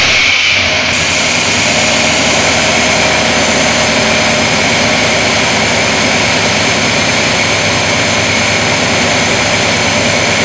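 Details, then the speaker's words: 1990 Chevrolet Silverado 1500 with 5.7L 350, which would not start after heavy rain, after a new distributor cap replaced a corroded one: it catches quickly and settles into a steady, even idle with no misses. "Got my truck fixed and, uh, everything's working fine right now. I don't think we're going to have any more trouble with it."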